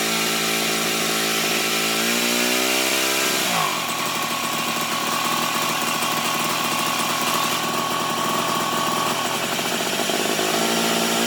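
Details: 1987 Toro Pro Line walk-behind mower, single-cylinder engine: drone sags sharply then picks back up while the carb mixture is adjusted; speed still hunting, owner suspects firing back through the carb may need valve adjustment.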